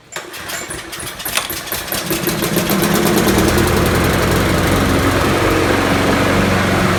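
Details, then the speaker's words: Trade-in Troy-Bilt 21-inch mower, Briggs 6.75, not starting on the pull cord, starting on carb spray before the carburetor clean: a few ragged firings, then it catches within three seconds into a steady, even run. Self-propel also works. "hey it started and it self-propelled works interesting"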